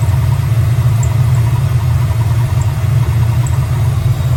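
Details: Crusty Ford 5.0 HO V8 at idle after cleaning corrosion: deep steady rumble with an uneven lumpy beat underneath; still idling rough, no better, cause unknown, plugs to be changed next.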